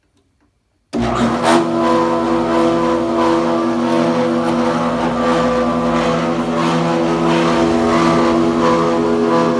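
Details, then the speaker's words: Planer jointer running with a loud, steady droning whine and an even fast pulse around four per second, worse than before. Black material is shedding inside; belts were realigned and screws are tight, and the noise source is still unknown. "yeah that sound it was a lot more subtle less in the last video because you can hear it's kind of a lot worse"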